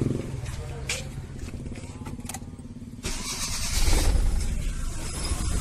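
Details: Maruti Suzuki 800, about 2010, CNG/petrol, codes P0301–P0304, jerking, weak pickup and fluctuating RPM: the engine catches, then idles with an uneven, stumbling beat and dropped pulses. A misfire caused by a shorting spark plug wire.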